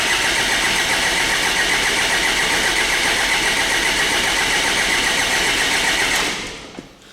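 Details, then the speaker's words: 2009–2010 Ford Ranger (Mazda BT-50) 3.0 L common-rail turbo diesel with a crank-no-start: steady fast cranking that never catches; rail pressure reaches only about 8.7 MPa against roughly 35 MPa expected, so the injectors are starved for fuel pressure. "So definitely there's a lack of fuel pressure. Obviously, if there's a injectors are starving for fuel pressure, definitely the car's not going to start."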